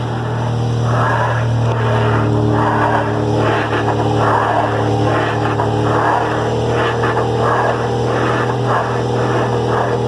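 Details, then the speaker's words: Ford Fusion electric power steering, engine running, wheel turned, scan shows steering motor not communicating and zero motor rpm: steady low hum with rough pulsing growl; worn assist motor bearing, software fault suspected after battery issue. "A gente sabe que, além de estar com problema na parte mecânica, que é o que está ocasionando barulho aí, o rolamento já está com problema no motor pelo software."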